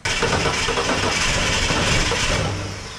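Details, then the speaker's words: The "Icy Blue" vehicle, first turned over: the engine catches from the crank and roars unevenly, then sags and fades, an engine struggling to start after long storage. "sounds like she wants to go"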